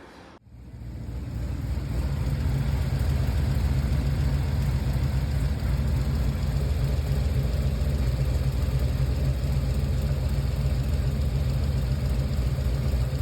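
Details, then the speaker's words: Chevy Nova on a test drive after new brakes and fan, running on only seven cylinders: steady, lumpy low rumble with an uneven stumble about three beats a second; cylinder two then checked with a noid light, spark and compression (about 200). "let's take it for a test drive and found that it was only run on seven cylinders sound kind of weird"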